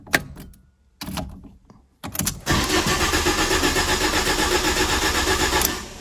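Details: 2010–2011 Ford Ka that would crank but not start after a rear crash, with fuel cut-off active: starter cranks briefly, then the engine catches and settles into a steady, even idle with no misses or knocks.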